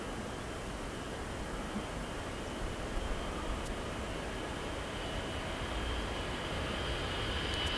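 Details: Air Transport Service B707-358C, 9Q-CVG, taking off at Oostende Airport in 1996 on runway 08: steady, thick jet roar with a thin whine on top, building smoothly with no pops or bangs; normal jet takeoff.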